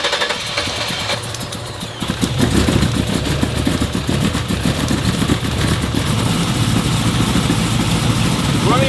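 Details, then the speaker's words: 1967 Chevy Camaro RS hot rod V8 with Holley dual throttle bodies and MSD ignition: catches and settles into a lumpy, hunting idle that keeps wandering; the dual throttle bodies don't suit this intake, and an intake swap is planned. "what we ran into is actually that these dual throttle bodies aren't jing with this intake. uh there's just too much fluctuation."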